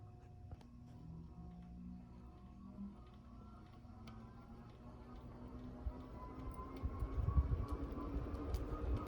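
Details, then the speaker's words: New-in-box April 1990 48-inch Bay Breeze View fan model V48R, microphone close to the motor, switched on at high: quiet hum rising into a thin climbing whine like a jet starting; normal motor startup. "Got a pretty cool startup sound to it. Kind of reminds me of a jet engine starting up."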